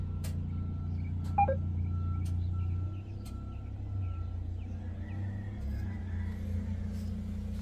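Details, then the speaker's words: Freightliner Cascadia DD13 diesel with failed high-pressure fuel rail pressure sensor: loud, weird low idle that hunts and surges unevenly every couple of seconds; engine not running or performing properly. "Uh that is a very very loud sound. Very weird, very uh scary sound. And the problem with this uh situation is then the engine is is not running fine."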